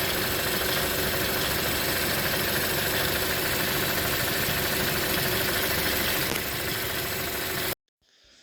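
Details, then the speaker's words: 2010 Toyota Corolla 1.8 idling: busy, irregular intermittent clatter, worse in cold weather and after driving a while, then engine shuts off; mostly from the A/C compressor, perhaps slightly the water pump. "on this vehicle I believe it's the AC compressor that's making a majority of the noise not so much from the water pump and it's just maybe a tiny amount"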